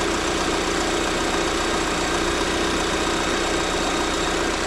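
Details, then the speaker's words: 2023 Lada Vesta NG automatic, exhaust camshaft knock check: an even, steady idle with a uniform light valvetrain hiss and no tapping or knock; diagnosis found the camshaft fine, normal idle. "Ну в общем диагностика показала что у меня эта вся тема исправная"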